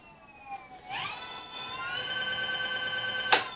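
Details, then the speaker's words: Emmo GT80 e-bike on its original 500W 60-degree controller: at full throttle the hub motor whine climbs, then jumps to a higher pitch and holds there, surging past its usual top speed like a turbo. Cause unclear. "now listen to this when you give a full gas it goes the top speed and then it goes to a higher speed watch"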